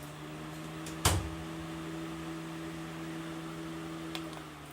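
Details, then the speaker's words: Kid-friendly outdoor-rated LED ceiling fan running on high, described as sounding like a high-velocity fan: steady low hum with an even motor drone after a click; normal operation. "but it does sound like a high velocity fan so let me put on low maybe you can hear the noise here's medium"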